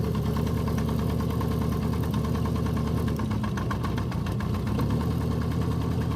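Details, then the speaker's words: 1973 Honda CB350F four-cylinder, cold start on brief choke after carbs rebuilt following 8-year storage: steady even fast high idle with no knock or stumble; running smoothly. "Right there is high idle. There's not actually really applying that much choke, so."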